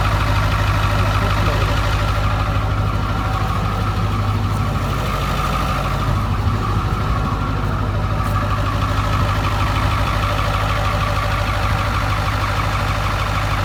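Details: Ford F-350 7.3 Powerstroke bought non-running, found with no oil, first start in years: steady low diesel clatter holding even idle, no surging, knocking or stumbling.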